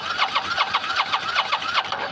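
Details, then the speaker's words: Motorcycle that ran itself out of fuel four months ago: steady starter cranking about six beats a second with only an occasional pop and no catch. The fuel pump won't engage or feed the carbs; the battery, starter solenoid and fuel pump need replacing. "Um I can't hear it run. [Laughter] Yeah. All I get is an occasional pop. Every now and then it'll pop and that's it."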